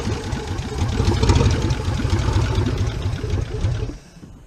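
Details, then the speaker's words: 1977 Chevrolet K20 4x4, last driven 2001, cold idle with oil pressure 58-59 psi: lumpy, uneven idle with dropping beats and loping stumble; spark plugs first suspected, traced to clogged jets on one side of the carburetor. "we've got this engine missing a skipping Rob about and I thought at first you know spark bugs but uh doing a little bit of testing here we figured out what it is"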